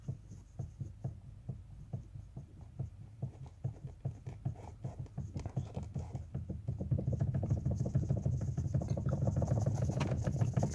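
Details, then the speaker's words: Toyota Corolla steering shaft knock before tightening a nut as advised: light, even knocking about three times a second over a low rumble, a loose clunk from the steering column; cause suspected, not confirmed. "этот стук заколебал сейчас подтянем попробуем посмотрим что получится"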